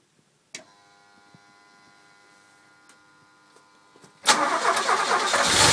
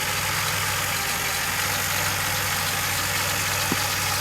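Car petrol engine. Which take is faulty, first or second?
first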